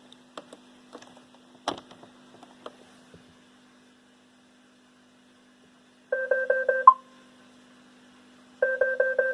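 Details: iRobot Roomba 500/600 series in diagnostic mode: quiet room, then two bursts of quick chirping two-pitch beeps, each about a second long, as it tests its charging port and circuitry.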